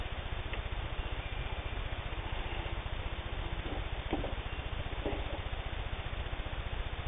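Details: Singer 15-91 WWII-era all-steel sewing machine, can-type internal motor with worm gear drive, sewing thick layered denim: fast, even needle chatter with steady low thump that never falters; normal, strong running.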